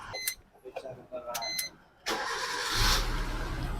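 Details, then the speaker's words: 2013 Maruti Swift Dzire after bypassing the crank position sensor wiring near the box. It previously cranked long before starting and had hard steering. A short crank, then it catches within half a crank and runs steadily. Normal quick start. "Car जल्दी start हो गई। गाड़ी आधे crank में ही start हो जाती है।"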